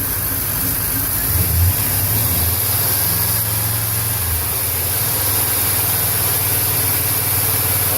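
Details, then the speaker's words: 1998 GMC Z71 4x4 with the 5.7 (350) V8, right after EGR valve replacement: from a smooth idle it revs to about 2500 rpm, giving a strong, steady drone with no misfire, knock or hiss. Normal revving. "There we go. A nice smooth idle, no issues. Rev it up to about 25, 2500."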